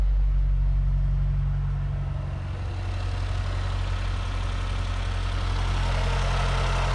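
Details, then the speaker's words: 2008 Mazdaspeed 3 turbo petrol, first start after installing CorkSport high-pressure fuel pump internals, pump primed and checked for leaks: deep, steady low rumble at idle with an even pulse, no ticks, misses or hiss; sounds good, idling smoothly and healthy. "let's try to fire her up if I burn my house down tell my wife I love her [Applause] well she sounds good"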